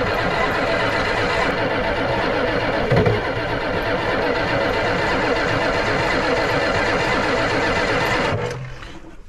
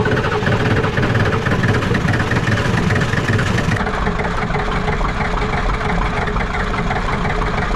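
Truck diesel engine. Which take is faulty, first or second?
first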